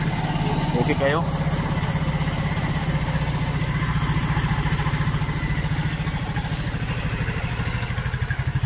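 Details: Rusi RFI 175 fuel-injected scooter started after fuel hose replacement and battery reinstalled; brief start chirp then steady, even tick-over, no misfire or stumble; normal running.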